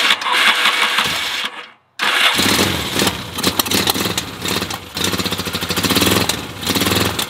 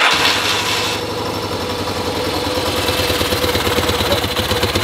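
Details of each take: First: 1975 Yamaha XS650 twin, carbs recently worked on, cold kick start on choke with a little throttle: catches then runs rough with uneven beats and dropouts; misfire, cause unconfirmed. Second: 1975 Yamaha XS650 twin, warm, settling into a steady, even low-thumping idle after raising the left carb's idle to balance the carbs, though the bowls are running low on fuel; normal idle.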